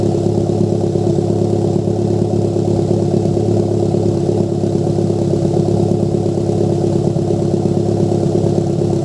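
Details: Toyota MR2 Turbo idling with an uneven, lumpy exhaust note and irregular pops from a misfire.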